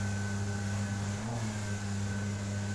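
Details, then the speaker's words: Outboard on a Solar 470 SJT inflatable jet boat, new whine it never used to make, owner hopes it's not a bearing: steady drone with constant high whine over low rumble, holding pitch while running; cause unclear. "Okay, you can hear that whining of my motor?"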